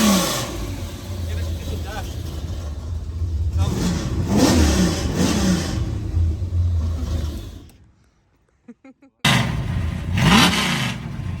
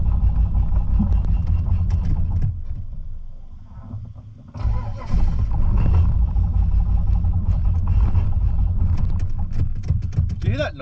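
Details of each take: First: Holden VN Calais V8 build after first start and tuning, muffler still closed: deep rumble rising and falling through several throttle blips, no misses or knocks; revs freely and sounds healthy. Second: Holden VN Calais V8 build on its first drive: uneven lumpy beat with stumbles while pulling away; misfiring because it ran so rich it kept fouling the spark plugs.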